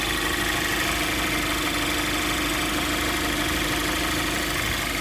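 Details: 2014 Cadillac ATS turbo direct-injection engine after a new vacuum pump, AC off: smooth, even idle with only the light fast tick of the high-pressure injectors. The previous rough idle and loud ticking are gone.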